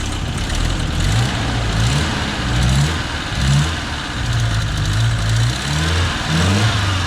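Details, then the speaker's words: 1985 Nissan 200SX S12 CA20E with new injectors, coolant sensors, plugs, wires, MSD coils, cap and rotor: steady idle, revs swell unevenly and stumble on quick blips; holds idle well but hiccups when throttle is flicked, air-fuel mixture screw needs dialing in. "so yeah so it holds auto pretty well um it's just the initial once you give it a quick flick that's when it starts to you know kind of hiccup"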